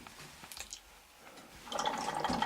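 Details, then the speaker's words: Cabin being winterized with the water lines draining out through a drain hose outside: irregular drips and splutters, then a steady hissing gush as air pushes leftover water through the lines; normal draining. "You can hear the water, the air going through the lines, but there's no water coming out over here because it's going out through that hose."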